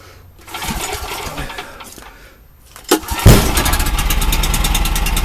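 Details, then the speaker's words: McCulloch 610 24-inch chainsaw, oil added to its gas, started on a couple of pulls: catches first time and settles into a steady, even run; engine sounds really good. "I got some oil in this gas too, so it starts up like that. The engine's actually really good."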